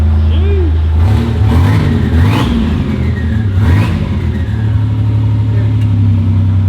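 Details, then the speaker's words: 1987 Buick Grand National, cold idle at about 600 rpm: loud, deep, lopey idle with open exhaust rasp and a couple of blips; runs steady and healthy. "This is at like 600 RPM. It's great."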